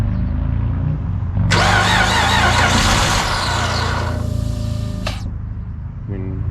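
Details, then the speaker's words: Chrysler 300 Limited 3.5L V6 with a junkyard replacement engine, first start after the swap: starter churns steadily at about four turns a second but the engine never catches. Cranks, no start; owner suspects it isn't getting gas. "not be getting gas. Hang on one second. Let me try some starting fluid."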